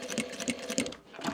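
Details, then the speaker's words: Sewing machine stitching microfiber with a burred needle: slow stitching, about three stitches a second, each with a hard jerky knock as if punching through foil; a burr can catch thread fibers, skip stitches and damage fabric. "Now I put on a barbed needle. I hope you can hear some sort of jerking or knocking sounds. It's as if the needle was breaking through the foil."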